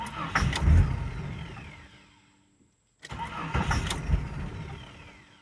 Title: 1999 JEEP Cherokee Hard start